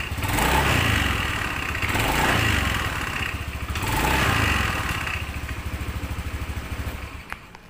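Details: Honda Beat FI injection scooter revving twice, with a harsh, marble-like rattle under the engine note from the CVT; the noise is caused by a loose, worn roller housing.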